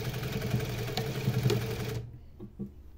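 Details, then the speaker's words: Sewing machine with a newly installed servo motor at about 400–600 stitches per minute. A steady whirring hum with a light irregular ticking from the drive belt rubbing the table, still to be adjusted. "que tá fazendo aqui é da correia que tá pegando na mesa então ainda vou ajustar aqui para tirar ela que tá pegando na mesa"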